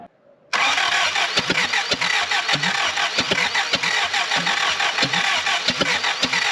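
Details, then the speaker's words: Willys L-134 engine in a Jeep FC-150 frame, fitted with used spare spark plugs. The starter churns steadily with rhythmic compression pulses, but the engine never fires; it cranks but will not start. "and it's so close so close why won't it fire"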